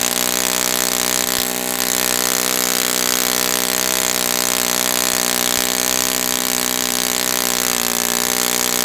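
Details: Brand-new Saito FA-100T twin on a test stand, first break-in run at full throttle: steady high-pitched buzz with no sag or surging; running rich, oil dripping from exhaust, not lean, normal.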